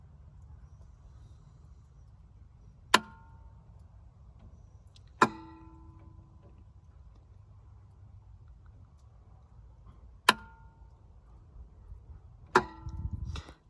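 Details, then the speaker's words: 1999 Four Winds 33SL 34 ft motorhome, Ford F53 V10 Triton: plugging a harness back in makes a relay click every two to three seconds; engine battery still connected; house batteries drain; cause unknown. "but if i plug this harness back in you'll hear that this relay will click"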